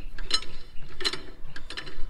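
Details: Single-axle leaf-spring travel trailer, wheel off, brake drum turned slowly by hand after 500 miles and a terrible noise when backing: irregular metallic clunks and ratcheting clicks from loose broken brake adjuster parts inside the drum.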